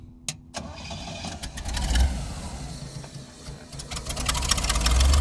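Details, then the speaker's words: Vintage flat fender Jeep with Sniper 2 EFI and a new vented, baffled tank with in-tank pump and return line: quiet clicks while priming, then a short crank that catches and settles into a fairly smooth, steady idle; normal start, not yet road-tested. "starts up real happy with this yeah only thing left to do is test it"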